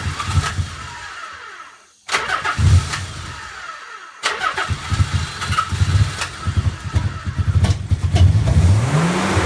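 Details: Nissan 300ZX petrol engine starting and idling roughly, revs surging up and down on their own to about 4000 rpm, after Phase 1 injectors were replaced with Phase 2 injectors.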